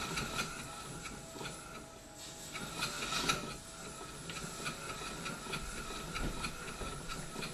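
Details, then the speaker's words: Marine steam engine with a balanced D valve, in forward, steam pressure lowered to about 3 psi: slow, even chuffing beats with steady spacing, no knocks or hesitation; normal smooth running at low pressure. "And we're down to, let me read the gauge, I would guess it's somewhere down around 3 pounds per square inch at this point, still turning very smoothly."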